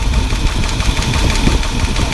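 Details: 1978 Ford F-150 with a 460 big block, bad misfire: rough, lumpy idle with an uneven low thump and ticking from the open valvetrain. A bent pushrod was suspected, but a worn flat cam lobe was found causing the misfire.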